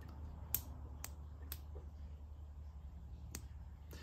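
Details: Trabant two-stroke with EBZA electronic ignition, timing checked with dial gauge due to part-load pinging; cylinder 2 plug grounded, crank turned by hand: sharp snapping cracks at uneven intervals, clean strong spark; timing measured 3.1 mm before TDC.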